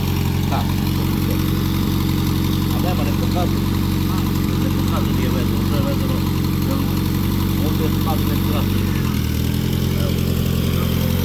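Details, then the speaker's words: Citroën AX 4x4 barn find on a freshly charged battery, not started for some time, idling: steady low idle with an even beat and no knocks or misses, faint voices in background; it starts easily and runs fine. "Kako si rekao, tako jeste, nema šta. Lepo pali. lepo radi."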